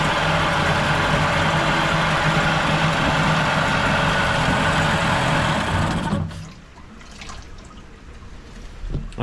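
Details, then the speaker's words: 1987 Mercury 8 hp outboard, newly purchased, before carb cleaning: runs steady and even about six seconds, no misses or knocks, then shuts down; hard to rev out due to combined throttle/shift mechanism; normal running. "like it runs pretty good so I'm not sure what the guy was talking about"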